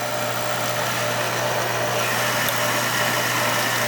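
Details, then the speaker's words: Oil burner being restarted after service: steady burner roar over low even hum, no flame-out, while trapped air is bled from the oil pump. "gonna be air in there so we're gonna get that air out here comes the air"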